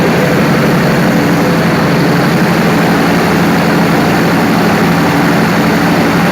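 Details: Perkins 4012 diesel after general overhaul with added pre-lubrication pump, around load testing: loud, steady drone at constant speed, even deep rumble with no knocks or misses; sounds healthy.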